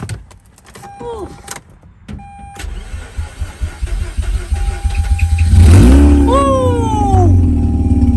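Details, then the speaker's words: Mazda RX-8 rotary bought as a non-runner, after fitting a fuel pump fuse and new leading and trailing spark plugs: short crank, then starts right up and revs smoothly with a rising buzzy note before settling. "oh man start it right up"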